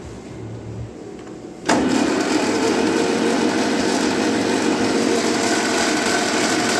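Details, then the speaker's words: 1955 Ferguson TEA20 tractor, long sat in a junkyard, engine free, oil now reaching the rockers: starter spins the engine over at a quick, even rate without catching; engine cranking freely. "And suddenly it turns over good too because it's not all dry."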